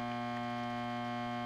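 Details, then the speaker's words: Rheem Roberts Model 1719 reel-to-reel recorder, speaker switch on: steady low hum with even overtones, unchanging, mains hum in the audio path; ground loop hum suspected, source not yet traced. "speaker on you can hear what's going on that's right it's got that hum so I'm gonna have to go ahead and figure out what was causing it"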